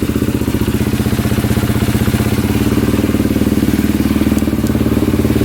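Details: Polaris Predator 500 quad with a swapped-in 400EX battery: steady, even thumping idle around three beats a second with a deep low tone, no misses or knocks; idles healthy.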